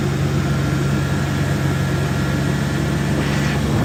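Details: 2002 Dodge Intrepid 2.7 at 213,000 miles. The belt squealed when turning the steering wheel because a loose alternator bolt let the belt go slack; it has now been fixed. Low, steady idle hum, quiet belt drive, no chirp or squeal.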